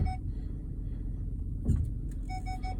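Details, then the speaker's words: Ford Flex in reverse, rear parking sensors (Park Aid) checked after complaints they stayed on or didn't work: clear repeating beeps over a low engine rumble, quickening on approach; all sensors working normally. "that one's beeping that one's beeping and that one's beeping so they're all working as they should"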